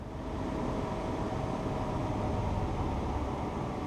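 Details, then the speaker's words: Modern gas furnace just after igniter replacement, cover back on and powered up: steady even fan rush with low rumble, no rattles or scraping; fans starting normally before igniter glows. "We turned it on. We can hear the fans working."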